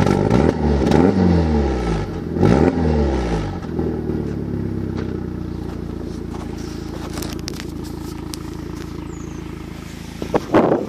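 Idle hunts and stumbles, revs surging then sagging with an uneven beat over the first few seconds: a misfiring, erratic idle.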